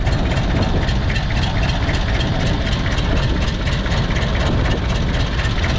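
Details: Mitsubishi BD2F dozer four-cylinder diesel just revived after years: low heavy clatter with an uneven, lumpy idle like a cylinder dropping out; owner suspects air not yet bled from all injectors, not running on all four.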